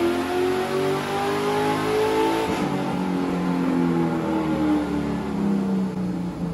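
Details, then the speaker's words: Chevy LS3 427 V8 Ultra4 car on dyno, tuned on 91 octane: clean even rise and fall through revs, no sputter or popping; pulls smoothly, healthy. "And I'm not hearing any sputtering, misfiring, nothing. It sounds... Oh, yeah. It sounds so smooth."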